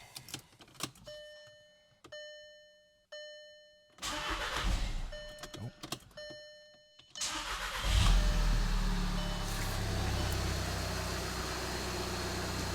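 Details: VW TDI diesel after an emissions delete with a new downpipe fitted using OEM pieces and band clamps, first start: chime tones, a short crank, then it catches and settles into a steady low idle with no hiss or puffing; normal, being checked for leaks.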